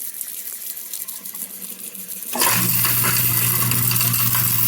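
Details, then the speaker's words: Kitchen garbage disposal running with water: loose, tinny rattling over the motor hum as a broken glass piece spins in the chamber and can wedge under the blades again; glass fragment in garbage disposal. "here the glass spinning around in there that will eventually get caught again"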